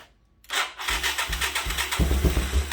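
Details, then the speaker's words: 1985 Yamaha YTM225DR Tri-Moto just started after sitting 30 years, with a sticking carb float worked on. It catches after cranking, then chugs unevenly with lumpy surging beats and won't hold a steady idle; idle screw adjustment needed. Unstable idle. "I'm gonna have to deal with this idle here."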